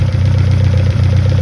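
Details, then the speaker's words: 1971 Toyota Celica RA20, 18RG on twin Weber 40 DCOE sidedraft carbs at idle: deep lumpy idle with small periodic dips; sync gauge shows one carb reading much lower, carbs not synced. "So they're not, the carbs aren't synced together."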